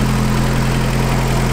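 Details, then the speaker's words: 1986 Toyota 4Runner idling after many adjustments, throttle cable slack and idle screw set: low steady even hum with no knocks, misses or hunting; runs smoothly at idle. "I told that it was gonna be purring like a kid when I was doing I did a lot of adjustments"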